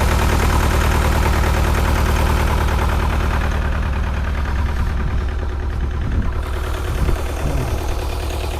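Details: Bobcat T595 Doosan diesel at cold idle, rpm limited by cold setting: low, uneven, lumpy knock about three beats a second, missing cylinder, white smoke, fuel smell, stalls under hydraulic load; rough idle, owner suspects injector stuck open.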